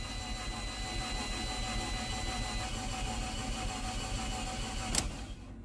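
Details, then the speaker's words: Auction car listed as running and driving, under 100,000 miles, plenty of gas: starter churns the engine over steadily but it never fires; crank no start, suspected no compression or broken timing belt, not confirmed. "let's see if she starts almost sounds like it's got no compression"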